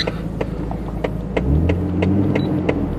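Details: Nissan Skyline R33 GTS-t RB25DET with a slight misfire and vibration when cold. After all coils were replaced, the starter clicks over, it catches and settles to a steady cold idle with no skipping: normal cold start.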